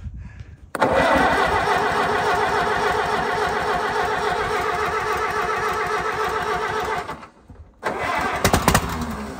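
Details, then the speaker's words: 1952 Case DC3 tractor, parked about 15 years with a tree grown through it: old engine catches and runs rough and labouring for several seconds, dies, then stumbles back, with the tree holding the exhaust rain cap shut. Hard starting, blocked exhaust. "the tree is holding holding the rain cap down so we'll uh have to get that up otherwise it's not really going to run I don't think"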